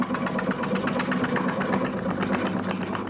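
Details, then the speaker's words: Woodturning lathe with a blank spinning: a soft rhythmic flap, about two or three a second, over the lathe hum as a piece of bark comes loose and slaps on the blank. "I can start to hear that flapping sound again, and it looks like we've got a little bit of bark somewhere along here that's starting to come loose."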